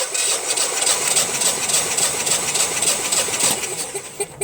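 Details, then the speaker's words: Honeywell/Generac generator model 60341, intermittent overcrank no-start, gas shut off during compression test (about 200): even but laboured slow cranking pulses around 3.5 per second; battery suspected weak, not confirmed. "now i notice that battery does not sound all that wonderful"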